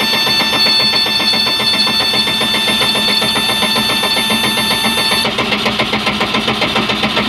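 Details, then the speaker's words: 1989 boat with 3.7L MerCruiser MCM 470, cold, zero oil pressure before start: steady rapid cranking churn about four beats a second without catching; hard cold start needing the accelerator pump pumped, oil pressure about 40 once running. "pressure comes up the oil alarm goes away she doesn't want to start so i'm gonna have to pump the accelerator pump a little bit"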